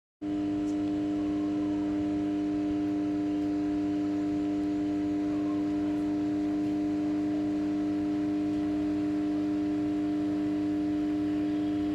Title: Humming Noise of 500MVA 400/230/33kV ICT #interconnectedtransformer #ict #electri_citi #powergrid